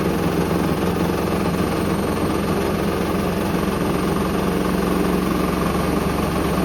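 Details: Hoover Link HL1682D3 washing machine, badly damaged, door seal twisted, on spin: loud continuous clatter with no clear beat, whole damaged cabinet rattling and banging, extremely loud; still works.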